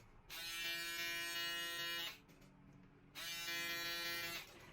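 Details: Shaver after the noise-reduction fix and lubricating both foils with blade oil: switched on twice, each time a clean, steady hum with no rattle or buzz from the foils.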